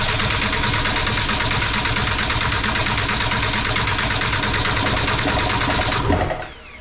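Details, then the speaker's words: MK4 Jetta TDI with ALH diesel, replacement engine, injection pump just installed, injection quantity still at 50 (to be adjusted via hammer mod): steady starter cranking about six seconds, tries to start but never catches; sounds better than before. "I don't know if you guys could hear it trying to start there. My injection quantity was still at 50, but uh it sounded a lot better that time."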